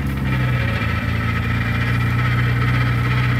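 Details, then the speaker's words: 1962 Austin Healey 3000 BT7, stored for years with a mice-ruined engine, now reassembled with rebuilt head and carburetors; first drive in first gear, warmed up, in snow; steady low drone and whir with uneven undertone, a little noisy; speedometer not working; transmission noise. "a little noisy looks like the speedometer does not work we're wormed up"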